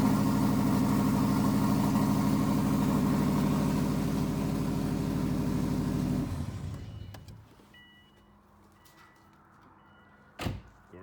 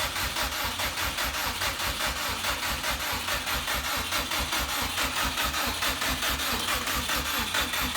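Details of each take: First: 2006 Subaru 2.5i with swapped-in JDM WRX engine and 6-speed, first start after correcting a reversed fuel feed line: engine catches, holds a steady, even idle with a regular low pulse for about six seconds, then shuts off cleanly; normal idle. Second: 2006 Subaru with swapped JDM WRX engine and 6-speed, start attempt after install, fuel primed, weak battery: fast even cranking that never catches; fuel smelled, owner suspected spark issue.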